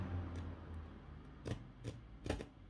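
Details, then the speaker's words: Presonus Studio 68c audio interface, two years old, left volume knob: scratchy screech-like crackles mid-travel when turned min to max, dust in the potentiometer; to be cleaned with WD-40 contact cleaner. "it makes a sound a strange sound when screech-like sound when you move it from minimum to maximum"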